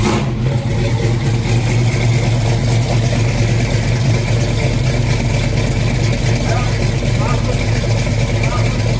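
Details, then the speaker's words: 1986 Chevy Caprice V8 on lift with freshly rebuilt 400 turbo transmission, going through gears: deep steady idle, smooth even beat, no clunks or whine; transmission working, trans brake not yet checked. "There we go. Transmission's working. Still got to check out the trans brake."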